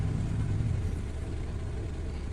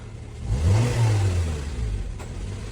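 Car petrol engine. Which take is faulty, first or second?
second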